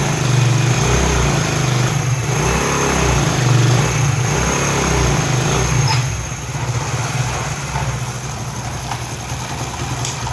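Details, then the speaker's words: Single-cylinder motorcycle after replacing a failed head gasket that leaked piston pressure, causing head noise and blow-by: even, low idle thump with a steady beat and no ticking or hiss; the earlier noise is gone, normal idle. "जो पहले आवाज़ आ रहा था अब वो बिल्कुल भी नहीं आ रहा,"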